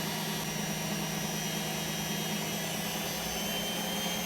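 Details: Hotpoint Aquarius WMA32 washing machine after repair (TRIACs replaced, damaged motor tacho cable soldered), empty load, spin: loud, steady whirring with constant high tone, no knocking or scraping; normal high-speed spin.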